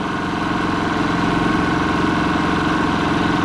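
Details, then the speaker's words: Kipor IG3000/IG3500 inverter generator running after its failed inverter board was replaced with a Champion generator inverter board; steady, even drone with constant hum, no hunting, surging or misses, generator powering the outlet normally under load. "so there we go we have our generator and making power that's what the light says right when I plug this into the outlet we should have power"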